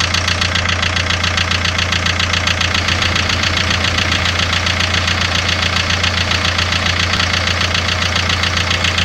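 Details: Car at idle with a sharp, regular tapping two to three times a second over the engine; owner asks where the sound comes from, knock of unknown origin.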